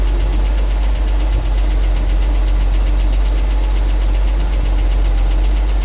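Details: 1974 Ford 350 at idle, cold start before sale; heavy low rumble with a steady repetitive knock, engine was full of unchanged old oil and a rebuild has been discussed; cause undetermined.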